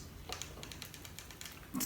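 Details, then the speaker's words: Panasonic Lumix GH5 stripped to bare body and shaken, still clicking when powered on: light irregular ticks and clicks with each shake, loose part knocking inside; owner suspects the floating sensor, unconfirmed; internal rattle. "so if you have a gh v and yours makes a shaking sound like that when you take everything apart and you strip it down to its basics"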